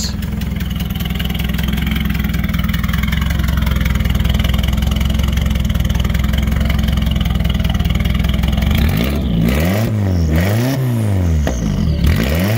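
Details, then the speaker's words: Nissan Silvia FJ20ET turbo four: lumpy idle rising into sharp revs with a raspy chuffing edge; big exhaust leak, one cylinder blowing out up front, hurting boost and drivability. "oh yeah definitely a big leak back there so i'm hoping to get that thing fixed here soon"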